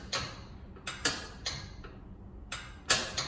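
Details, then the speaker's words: Newly installed lid switch on a Kenmore 70 Series top-load washing machine that would not spin, tested by hand: several crisp, sharp clicks, irregularly spaced; the lid switch actuates properly. "I'm gonna test the thing to hear it click you can hear it click"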